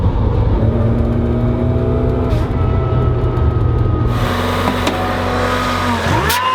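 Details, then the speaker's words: Supercharged Mazda Miata after throttle body relocation and a blow-off valve plumbed to the intake manifold, on a test drive: a pitched supercharger whine tracks revs, now very loud, then a loud hissing rush as the throttle closes. Normal supercharger whine and blow-off valve venting. "everything is so dang loud now like the ball off and the wine so loud if you ever wondered what a supercharged Miata with a blow-off valve sounds like that's what it sounds like"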